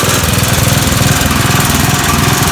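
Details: Snapper riding mower, about 30 years old, after the fix for a blade that came off and caused violent vibration. Started in neutral, it gives a smooth, even drone with a steady low hum and no wobble; the blades spin true and balanced.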